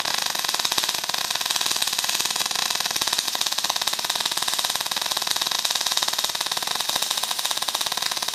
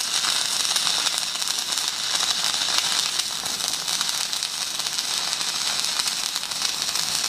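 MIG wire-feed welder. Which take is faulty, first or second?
first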